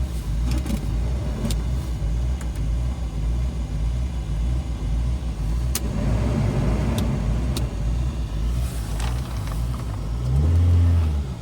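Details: Toyota Sera 5E-FHE engine idling: idle rises and falls unevenly over a low rumble instead of holding steady; idle hunting, later traced to a faulty idle air control valve under the throttle body.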